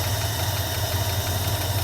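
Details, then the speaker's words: Tired 318 V8 in a 1976 Dodge Club Cab Adventurer with a rich carburetor and an exhaust leak: rough idle, sounding a little better, with a faint quick lifter tick over the low rumble. "It definitely sounds a little bit better. But, I can hear the lifter tick."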